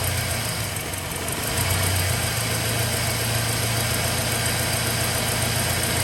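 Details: 2007 Chevrolet Silverado V8 after AFM/DOD delete kit install, once lifters have pumped up with oil pressure: even, steady idle with smooth low rumble and no lifter tick or clatter left, running cleanly.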